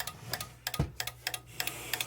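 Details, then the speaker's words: Onkyo R-805X mini receiver plugged in: sharp relay clicks about three times a second over a faint hum, no standby light or display, won't power on; aged unit, standby circuit fault. "very annoying little relay clicking in there not turning on"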